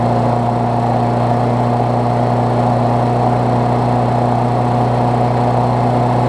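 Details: Briggs Classic engine swapped onto a Bolens push mower deck, first run after fresh gas and 16 oz oil, temporary throttle setup: steady, even drone at constant speed, no misses, knocks or surging; running cleanly.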